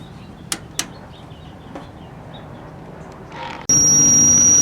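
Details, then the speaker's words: 1956 GE 14T014 portable black-and-white TV, first power-on. Near silence, then at switch-on a loud steady high-pitched squeal over a low hum, described as very unhappy: the horizontal sweep circuit is singing. "it sounds very unhappy"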